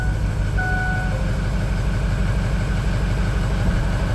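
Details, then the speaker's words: A used 6.0 Power Stroke diesel on its first start gives a lumpy, uneven idle of about three pulses a second, with cylinder two a dead miss on the power balance test; cylinder seven shows low compression, and the cause is unconfirmed. "all right number two is still dead I'm gonna go check for no blow by at all back in there that is fantastic all right so two is still a dead Miss"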